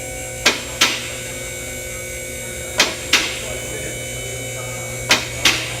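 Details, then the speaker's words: Two-post vehicle lift raising a car: sharp paired metallic clicks about every 2.5 seconds over steady pump hum as the safety locks catch normally. "now as we raise the vehicle you're gonna hear a clicking noise and what that noise is is that'll be the locking mechanism on the live that keeps the vehicle from falling down"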